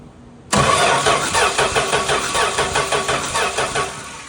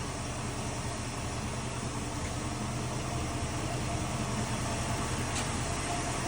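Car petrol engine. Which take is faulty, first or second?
first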